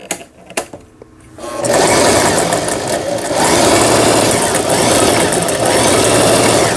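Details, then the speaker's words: Toyota EC164K sewing machine after repair and readjustment of a jammed centre gear/cam block unit that had stalled the motor: light clicks, then a fast even whir with no catching or grinding under pedal; normal running. "이렇게 지금 현재 전체적으로 조정을 한 결과 아주 부드럽게 쉽게 페달을 밟았을 때 부드럽게 회전이 되고 있습니다."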